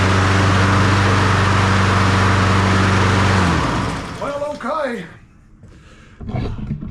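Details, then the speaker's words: Honda HRN216VKAA push mower after drive belt replacement: smooth, even single-cylinder hum at steady speed, then winds down; drive cable needed no adjustment, pulls nice and strong, normal healthy running. "don't have to adjust it at all. That thing's pulling good. Pulls nice and strong."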